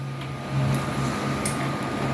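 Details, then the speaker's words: Premier AMP-4826 amplifier on the bench with cover off, no display fault, fan running: low hum then soft click as the protection relay engages at power-on, showing the output amplifier section works. "and here's the relay this is the relay on the amplifier I can hear the relay engage that tells you that the amplifier section of this unit is working because this relay is a protection really"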